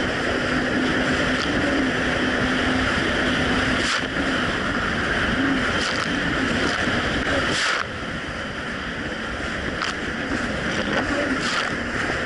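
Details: 2007 Yamaha VX Cruiser jet ski under way after a $10 fix, the surging probably caused by a narrow gap: a steady engine drone over wind and water with no rise-and-fall surging, quick undelayed throttle response; running great.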